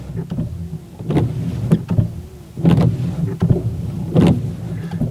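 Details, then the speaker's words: Car windscreen wipers on wet glass: squeaky rubbing chatter at each stroke end from old, hardened rubber. Still noisy after cleaning with rubbing alcohol and white vinegar; improved but not fixed, so blades are replaced with new Bosch ones. "we've just cleaned it with the rubbing alcohol and the white vinegar and it's still making the noise so this and some water it's better but it's definitely not perfect"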